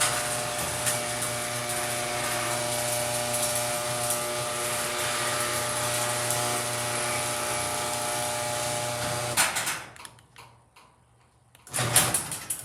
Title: HD200D was making very loud noises